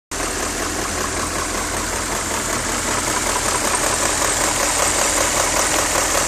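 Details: BMW E39 M5 at idle with a light, fairly regular knock of about two and a half per second over the engine; the owner suspects VANOS, but the cause is unconfirmed.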